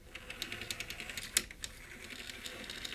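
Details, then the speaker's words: CD drive of a PowerPC Macintosh 5500/275 after greasing the tray mechanism and cogs: light, irregular ticking and clicking from the drive mechanism with one sharp snap. Clicking persists after greasing, assumed normal, source unclear. "Now, we're still getting that clicky noise, but everything is greased now. So, I'm going to have to assume that this is normal."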